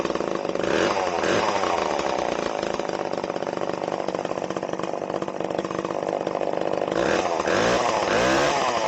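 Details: Stihl 011AV chainsaw, previously non-running, just started: high buzzing two-stroke idle with irregular metallic clatter throughout; the muffler/exhaust is completely loose and clanking.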